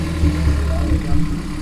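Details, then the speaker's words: Honda K24 engine swapped into an AE86 touring-car build, first start, no alternator or water pump connected yet; steady, fairly quick idle around 1000 rpm with an even low pulse and no knocks; normal idle. "They're right around 1000 right now."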